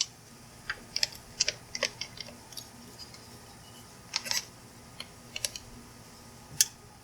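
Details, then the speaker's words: Yaber battery jump starter, connected with correct polarity, giving sharp, dry irregular clicks in bursts over quiet; the engine almost cranked but did not start, and the owner guesses the clicking is the internal relay switch. "can you hear that clicking i'm not really sure what that is i guess it's just the relay switch inside here"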